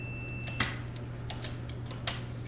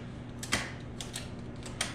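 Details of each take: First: Mopar pushbutton automatic shifter that sometimes fails to find neutral: sharp, irregular clicks and clacks as buttons are pressed over a low hum; action is sticky and iffy, cause unclear, possibly adjustment position. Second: Mopar pushbutton automatic shifter: several crisp, separate clacks, each a firm snap like a bear trap with no grinding; gears are shifting solidly and cleanly.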